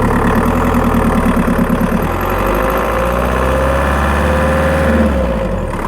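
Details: Skoda Octavia 1.9 TDI PD, microphone in battery box while driving: quick light ticking about three a second over a loud diesel drone under throttle, with a faint chirp; source not pinned down.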